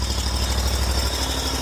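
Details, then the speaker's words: John Deere Z930M zero-turn mower, just out of storage, first start after new battery fitted for not starting or staying running, choke out: steady, even low idle with no knocks or misses; normal idle. "Let's uh let's see if this thing starts up here. Choke out. All right. So, she starts up."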